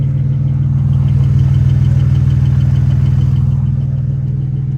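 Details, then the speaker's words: BMW 335i N54 single-turbo build with freshly installed Motiv twin-disc clutch, about 30 miles on it, at idle: low steady idle with a light even rattle about four times a second, normal, not excessive twin-disc chatter. "i'm just gonna start the cart for you guys so you guys can hear the clutch it doesn't do a lot of chattering all right as you can hear"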